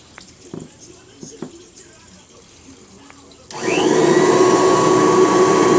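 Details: March 1989 Kirby Heritage 2 / Legend 2 (2HD) vacuum, restored with new foot switch, power cord, brush roll and light bulb: handling clicks, then motor spins up to a smooth steady whine, no rattle or grinding; normal running.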